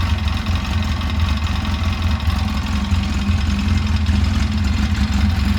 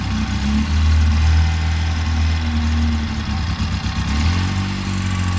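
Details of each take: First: 2011 Polaris RZR 800 twin, rebuilt after engine issues, on its first heat cycle with coolant being burped: it gives a low, even throbbing idle with no knocks or misses and sounds healthy; it later kept starting and dying. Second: 2011 Polaris RZR 800 twin in neutral before a test drive: the idle is uneven and lumpy, with revs sagging and wavering in a loping irregular beat as it tries to stall; cause not confirmed.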